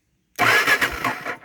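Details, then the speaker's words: Honda XR650L in neutral: about a second of starter cranking that never fires because the ignition switch was left off. "Oh, well, you know, it might help if I turn that on."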